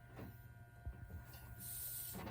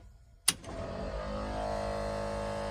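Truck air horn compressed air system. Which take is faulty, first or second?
first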